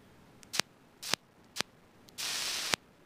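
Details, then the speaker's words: Inductive kickback arcing: releasing a switch breaks about one amp through an inductor, and the voltage rises to ionize air; sharp, uneven snapping cracks with a short hiss as the arc repeatedly strikes and breaks across the opening connection. "it's actually turning on and off very rapidly and what's happening is as the as the atmosphere breaks down it ionizes and becomes conductive current flows through the inductor and it rebuilds its magnetic field"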